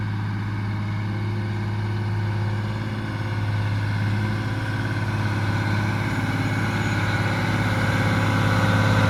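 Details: Mack Superliner diesel after engine repair: steady, even clatter at idle with a deep low drone, no knocks or misses. Runs smoothly and healthy. It previously blew white smoke (fuel pump suspected) and blew black smoke on this start.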